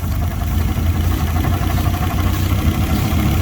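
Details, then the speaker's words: Fiat Punto GT Turbo, unstarted for over 12 months, warmed a few minutes: rough choppy idle with chuffing, speed wavering and surging when carb cleaner is sprayed, revealing an intake manifold air leak; poor cold starting needs revving. "yeah so we've got an air leak on the intake manifold somewhere"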